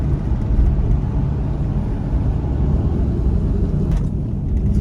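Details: Jeep Grand Cherokee WJ 4.7 V8 driving with a shorter serpentine belt bypassing the AC compressor, whose worn pulley bearing squealed: smooth, even low rumble with no belt squeal or chirp.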